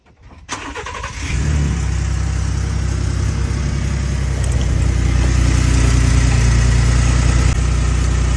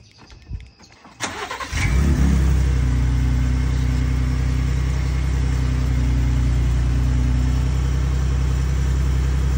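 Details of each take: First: Ford V6 EcoBoost twin-turbo cold start: settles to a low idle with a loose, uneven rattle from the turbo wastegate, which Ford considers normal; turbos were already replaced once at about 15,000 miles. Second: Ford V6 EcoBoost after a fix for wastegate rattle on start-up (clips fitted, wastegate still moves freely): starter catches, firm even high cold idle with no metallic turbo rattle; normal cold start.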